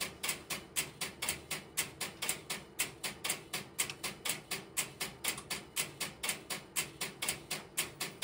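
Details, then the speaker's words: Idle No. 3 crossbar telephone switching system, camera in its aisles with step-by-step interrupter relays in background: sharp even relay clicks about three a second over quiet room hiss; normal idle. "I've relocated the camera to the next aisle over, which you will hear the interrupter relays in the background, but they will be at a reduced level."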